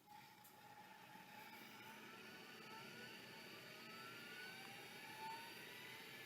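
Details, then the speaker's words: Toshiba MK56 vintage hard drive powered on bench: thin shifting squeal and rising whistles over a steady whir instead of a quiet spin; abnormal squeaking, drive probably not working, cause unconfirmed. "yes I don't think it's supposed to do that so that's probably not working sadly"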